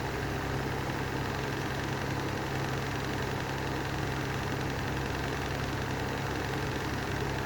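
Steady low drone with a rough, gritty vibration running under it, no change in speed; the fan's motor bearings are worn out.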